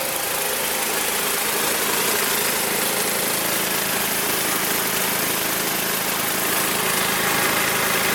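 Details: Magna air compressor, circa-1983 Briggs and Stratton engine, sat 5 years, first start on carburetor alone: fast even steady buzzing, no misses or knocks; runs awesome, builds 100 psi, owner may raise to 120.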